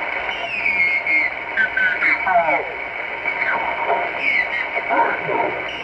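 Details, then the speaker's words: HF receiver on 20 meters: whistling tones slide up and down over static, recurring every 29/58 kHz and drifting; radio, power supplies and house sources ruled out, so the interference arrives through the antenna. "So if you can hear that whine right there, so that's where it is, right there."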